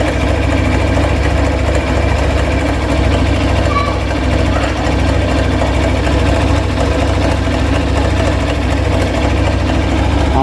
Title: Hero thriller 160 cc engine noise problem